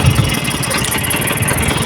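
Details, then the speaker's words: Freshly rebuilt Vespa two-stroke engine just started, still tight and heavy, warming up: busy, slightly uneven idle with rapid crackly beat, no knocks or rattles; running fine. "Nah ini nanti tinggal kita Nyalakan terus kita ee Panaskan selama beberapa waktu ya supaya perputaran mesin itu lebih lancar dan lebih ringan ya teman-teman"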